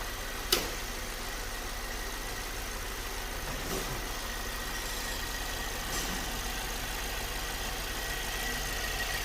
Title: vw polo 6 tsi timing chain noise